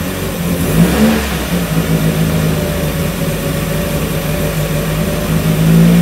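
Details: 1994 Miata NA with 2000 NB engine, first start on Megasquirt and EDIS-4, 4-2-1 header, Yonaka exhaust; ran rich until VE numbers leaned out; after uneven revving it settles into steadier even beat, mixture about right: smooth running.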